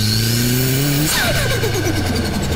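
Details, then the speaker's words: Turbocharged 1000 cc engine at 20 psi without intercooler or blow-off valve: whoosh drops sharply as the throttle body shuts, then rapid "stut-tut-tut" flutter as back-pressure bounces the compressor wheel, compressor surge said to damage the bearings. "Nah , suara "stut-tut-tut" itu muncul karena ada tekanan balik dari TB yang memantul kembali di sini. Jadi roda kompresor ini bergetar, berbunyi seperti " stak-tak-tak-tak" saat terkena udara."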